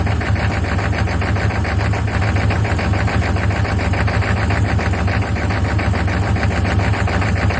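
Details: 1995 Chevy 6.5 turbo diesel idling heavily with an uneven, lumpy beat of roughly 105 pulses a minute that never settles; rough idle, and the owner does not know the cause.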